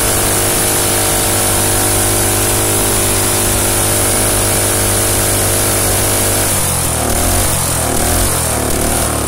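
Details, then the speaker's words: Small engine run without a head gasket. Steady buzzing idle, then the note roughens and puffs unevenly as gas blows out the side of the head. Head gasket leak. "yeah it's definitely starting to leak right there blowing out the side of the head right there"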